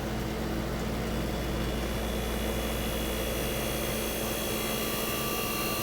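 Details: 1965 Fedders Weather Wheel 12000 BTU window air conditioner, first spring 2023 startup, fired right up: steady low compressor hum under even fan rush, no clatter or surging; suction line ice cold, output air ice cold. Normal running.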